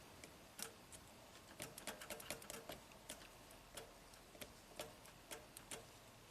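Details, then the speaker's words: 2015 Toyota Camry 4-cylinder, 125k miles, U760E transmission, P2714 code: shift solenoid on pins 18 and 19 (6.4 ohms) bypass test gives crisp light clicks, test light same brightness; solenoid actuating normally. "Hear a nice click. Looks good."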